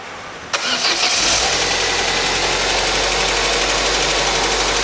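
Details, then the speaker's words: 1997 Opel Astra after timing belt and head work, restarted after flushing out most water with old oil: brief crank, catches, fast slightly rough hiss-laden idle; sounds better but still rough running. "it sounds a lot fair still a bit of work doing it but we're getting there so it sounds better which is always a good time"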